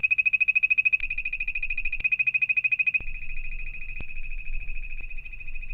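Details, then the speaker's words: Pop-up camper Elixir EXL-30 power converter chirping with a fast, high-pitched electronic pulse, suspected to be failing; later replaced with a WFCO WF-8735-P. "So as I'm sure you guys can still hear in the background, our converter for our pop-up camper is chirping. And unfortunately, I think that means it's on the way out."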